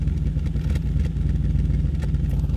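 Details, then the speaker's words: C5 Audi RS6 V8 bought at auction with check engine light, idling: uneven idle with irregular low thumps and stumbles, intermittent misfire returning, cause not yet found. "Uh-oh, wait a minute. Our misfire is back. Let's see if you guys can hear it."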